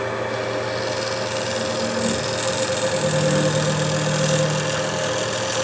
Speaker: and if you hear the humming sound that means I'm pushing it a little tooo hard